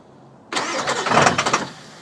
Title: Sisters no start issue